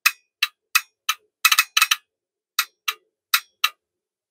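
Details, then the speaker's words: Heathkit DX-60B T/R switch build, relays first tested at about 12.8 V from the rectifier by grounding the control wire: crisp, sharp clicks, about a dozen in four seconds, each clean; normal relay operation. "Hopefully you can hear that. That's good. Okay, so we know that our baseline power circuit is working."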